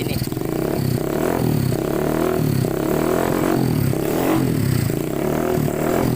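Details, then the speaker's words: Honda Scoopy FI after replacing a failed camshaft bearing and adjusting valves, fitted with a loud open racing exhaust: even engine beat with no ticking or chain rattle; the earlier chain-like noise is gone, engine clean. "Oke teman-teman mohon maaf karena ini pakai knalpot brong atau knalpot racing jadi suaranya Memang agak berisik tapi ini dari suara mesin sudah bersih tidak ada ngetik tidak ada ngelitik dan lain sebagainya"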